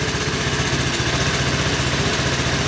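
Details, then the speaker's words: Honda Helix CN250 250cc single-cylinder scooter after adding fresh gas; idle still slightly uneven and lumpy, may need idle speed raised, but throttle responds well; rough idle. "alright guys the idols still a little bit funky I might need to increase the idol but throttle is responding very well"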